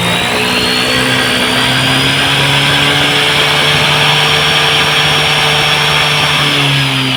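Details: Yamaha NMAX all-new v.2 scooter after electrical system repair, parts replaced and sticky throttle cable fixed: steady, smooth drone with clean pitch, no stumble or cut-out; stalling on acceleration gone.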